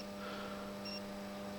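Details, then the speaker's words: Magnetic contactor (40 A) after cleaning: soft, steady low hum with no rattling or buzzing chatter, about ten times quieter than the loud hum before cleaning; normal contactor sound. "звук от этого пускателя раз в десять стал меньше"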